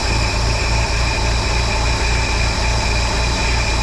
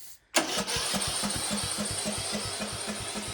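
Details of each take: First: 1953 Willys CJ3B four-cylinder, stored in a shed for years, running on 2-year-old fuel: steady, even idle with a regular low thump and no knocks or misses; runs smoothly. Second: 1953 Willys CJ3B F-head, stored in a shed for years: one sharp backfire bang, then steady cranking at about four compression beats a second without catching; acts like it lacks spark, though it had spark.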